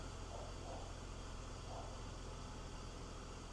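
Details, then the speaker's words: 2006 BMW X3 E83, M54 six-cylinder with 5-speed GM automatic, after new belts and pulleys, idling cold (about 21°C transmission fluid) while cycled through gears during fill; quiet even hum, no more belt chirp; normal idle. "everything up front looks good sounds good there's no more belt chirp which is a great sign"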